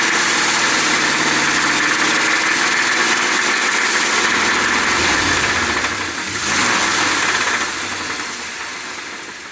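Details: 2020 Ford F250 Tremor 7.3L V8 after dealer oil pump replacement (SSM51330), idling the night before it seized: a steady, fairly regular deep knock at about 220 a minute, pointing to serious internal trouble.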